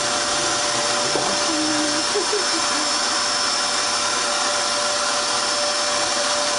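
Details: Dirt Devil Extreme Quick Vac after brushroll belt replacement (style 15 belt): even, steady high-pitched motor whine with smooth hiss, no rubbing or slapping; new belt spinning the brush, running normally.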